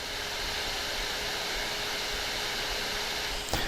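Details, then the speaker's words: Steam Deck with whiny Delta fan after electrical tape applied inside: even airy whoosh at constant speed, no high-pitched whine on top; normal fan whoosh. "But it's not a high-pitched whine like it was."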